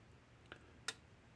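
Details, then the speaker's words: 2016 Gallagher M150/M300 electric fence energizer switched on for diagnosis before repair. Two sharp snapping clicks about a third of a second apart in a quiet room; pulsing louder than normal, from experience; cause not yet identified. "It's clicking. It's kind of loud."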